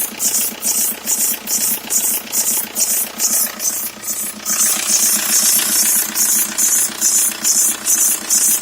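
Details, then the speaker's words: 2003 VW Jetta ALH TDI, top timing belt cover removed, idling: sharp high squeak pulsing about twice a second from the timing belt area; owner suspects the belt or a cam issue, with a cam seal also leaking; not the serpentine belt. "wear the belts making that oscillating squeaking sound and post a comment be helpful"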